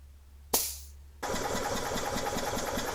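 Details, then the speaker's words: 2004 EZ-GO TXT gas golf cart (crank-no-start) during a compression test: starter click, then brisk, even cranking with no weak strokes. It reads 155 psi, up from 152, so compression is good and balanced. "at that this is a good motor or a good engine 155 that's like air compressor territory right there"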